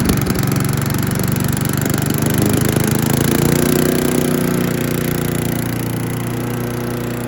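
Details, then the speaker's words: Troy-Bilt chipper/shredder, rough after carburetor reassembly but now running great, chipping branches on the second day: steady drone dips and recovers as branches feed in, then settles smoothly; normal running under load. Owner suspects rocks damaged the blades. "All right, we've ran through what gas I had in it, which was about half a tank, and it's done pretty good, but I think somebody's been dropping rocks in here."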